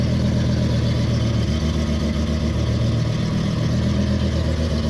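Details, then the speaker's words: BMW M5 V10 idling after codes cleared: slightly uneven, loping beat, single cylinder misfiring rather than a whole bank; ECU later deactivates faulty cylinder seven; owner hoped mass airflow sensor was cause. "doesn't sound like we have an entire Bank misfiring now"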